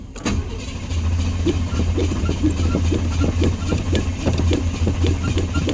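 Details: Truck that had been sitting a while: the starter cranks on and on at about two turns a second without catching, then only a thud. It was eventually started.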